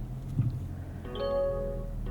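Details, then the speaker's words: 2024 Mazda CX-50 Meridian Edition in a quiet cabin at startup; a clear two-tone chime repeats about once a second as the unfastened-seatbelt warning. Buckling up before starting avoids it. "this it's the most incessant annoying startup chime in the business but there is an easy workaround and that is just put your seat belt on"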